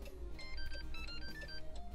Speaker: and that chime tone lets you know everything's successful